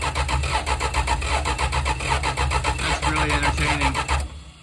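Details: 1974 Dodge Dart Sport slant six, off the road 17+ years: steady starter cranking with rhythmic compression pulses, and the engine never catches. A hard-crank no-start; owner suspects lost compression, possibly the head gasket.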